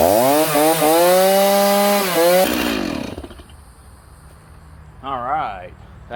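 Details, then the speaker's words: Stihl MS310 chainsaw, first start after a tune-up with new clutch, spur sprocket, needle cage, fuel line, fuel filter and spark plug and a cleaned air filter: clean steady buzz, crisp throttle blips, even wind-down; runs healthy. "i just want to start it up and run it and make sure it runs all right"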